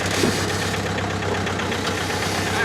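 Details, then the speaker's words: Jeep broken on an off-road trail, backing up slowly: a rough, continuous grinding under the idling engine that sounds like a broken rear axle shaft. "well i'm going to try to back it up and let's see how grindy it sounds huh that sounds like shaft to me"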